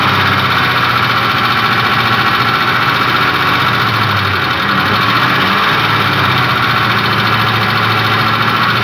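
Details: Ford Triton 5.4 3V V8 at idle, solenoid connectors refitted after removal test: steady idle with a faint repetitive knock buried in the engine note; engine knock at idle, cause not yet found.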